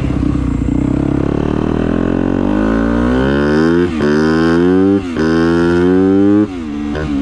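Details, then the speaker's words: Dirt bike (250F four-stroke) after a new spark plug and fresh fuel, run up and down the road to check the fix: clean, crisp revs climbing smoothly through the gears with quick throttle lifts, no sputter, stumble or misfire; running normally. "all right well it didn't really sputter it so that's good I think we fixed it"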